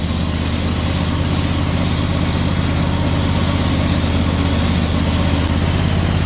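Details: Snowblower small petrol engine after a chain tensioner upgrade, belt guard fitted, choke still frozen: steady, even idle with a smooth low drone and no knocks or misses; running normally.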